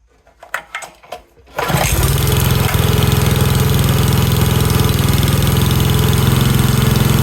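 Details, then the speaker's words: Pioneer BS200 paint line striper engine after repair, freshly fueled with choke on: a few pulls, then it catches and settles into a steady single-cylinder fast idle, running smoothly with no carburetor adjustment needed. "okay that sounded good yeah baby all right I'm going to finish putting this back together since it's started up"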